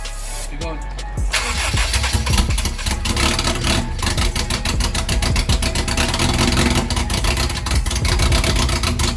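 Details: Turbo Honda CR-V engine project, first start once mounted: ECU plugged back in and fuel primed. Short cranking catches fast into a loud, steady, even idle with music behind; normal start, runs fine.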